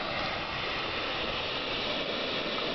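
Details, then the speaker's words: 1987 Dodge Daytona EV conversion with EVTV Warp 9 motor, spun in neutral: constant even hiss from DC-DC converter, installed possibly around July, hissing ever since yet still working. "Um, now the sound that you may be able to hear in the background is the hissing of the DC toDC converter. Uh, it's done that ever since I put it in um, I think back in July and it's still doing it, but it also seems to still be working."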